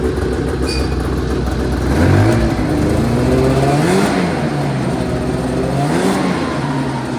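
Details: 1980 Yamaha Exciter two-stroke snowmobile, revived after sitting 19 years, first test run after tank cleaning, throttle cable swap and premix added to the tank: crisp note rising and falling with throttle blips, no bogging, smoky; running normally.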